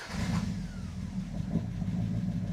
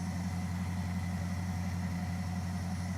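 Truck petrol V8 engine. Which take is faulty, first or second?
first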